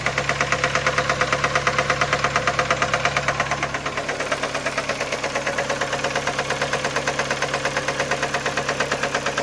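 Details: Skoda Fabia 1.4 AZE: steady even knock about twice per second at idle after the oil pump gear came loose and the camshaft sprocket slipped; owner unsure whether pistons or bent valves.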